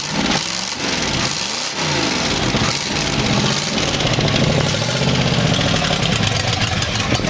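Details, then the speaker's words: 1962 Oldsmobile 392 V8 in a 1914 Dodge Brothers rat rod, after correcting the firing order. Rough, lumpy idle, running on seven cylinders, with a light ticking valve rattle. Oil pressure is 40 psi; mufflers and gaskets are loose. "well fired up with no trouble had a little valve rattling in it was running 40 pounds of oil"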